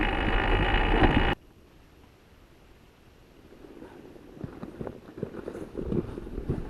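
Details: 2014 BMW F800GS Adventure coasting downhill off-road with the engine off: irregular dull front-end clunks; fixed by new steering head bearings, the removed ones damaged, likely never properly tightened from the factory.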